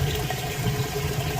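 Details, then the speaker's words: Maytag HE top-load washer, like-new, end of wash cycle: steady low drain pump hum under rushing water, even, no grinding or rattle; draining fast, working properly. "Alright guys, moving out of the wash cycle. It's draining the water out. You can hear it"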